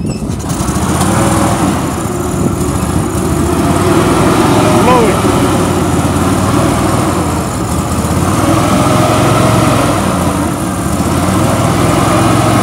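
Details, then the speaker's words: Billy Goat Quiet Blower with a Vanguard engine, sat for years, running only on starting fluid sprayed into the carburetor: steady, even single-cylinder drone with no knocks or misses; engine sounds healthy. "you're going to hear sounds really good it won't stay running because i'd have to keep spraying it"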